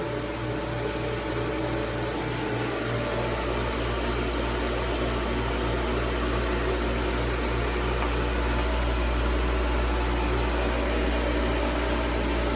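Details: Jandy Pro Series Flow Pro 2.0 pool pump motor after its bearing was replaced to cure a loud humming from the filter housing: even, smooth run with a soft low pulse around three per second, no drone or grind; the repair worked and the pump sounds healthy.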